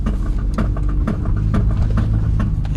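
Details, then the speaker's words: 1997 Honda Accord driving: sharp clanks about twice a second over road rumble, worst on sharp turns, intermittent straight or in mild turns, and faster with wheel speed. Worn, broken CV axle, later replaced. "You can hear you got some knocking noise, especially on a turn. Get it also off and on while driving straight or during a mild turn. But anytime you do a sharp turn, you can really hear it clanking."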